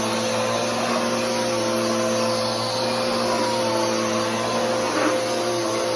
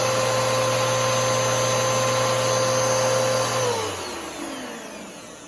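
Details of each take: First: Bissell PowerForce Helix 3313 vacuum running: constant motor roar with a steady, unchanging whining hum on top, identified as drive belt noise. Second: New Bissell PowerForce Helix 3313 vacuum runs with a steady high motor whine at constant pitch, then a smooth falling spin-down at switch-off; the motor sounds normal, with a higher tone but lower pitch than the older 2191.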